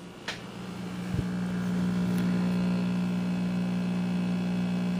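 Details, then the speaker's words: 1959 Westinghouse 5-tube AM radio, dual speakers, tubes warmed up: steady low hum with buzzy overtone throughout, speakers fine; mains hum, cause suspected, owner seeking replacement for an orange capacitor. "speakers are in perfect condition so you can hear the hum now and if i turn it up you can hear normal stuff too"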